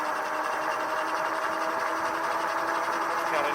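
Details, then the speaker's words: Super73-S1 e-bike on throttle only in eco mode, no pedaling: even, steady mid-pitched motor whine with no knocking or grinding; normal motor whine. "Okay, and then we've got the throttle, so I can just stop pedaling, do throttle. You can hear the motor engaged, but"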